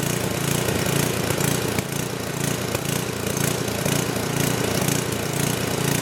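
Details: Old 10hp gasoline generator converted to propane/LPG using only the regulator of a cheap eBay aftermarket carb kit; after the governor spring was backed off, it rises and falls in a steady rhythmic gallop (governor hunting); owner says it needs tweaking and doubts the regulator is too small.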